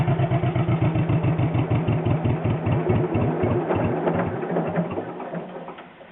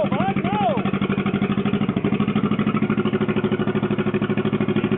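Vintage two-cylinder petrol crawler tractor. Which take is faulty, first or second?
second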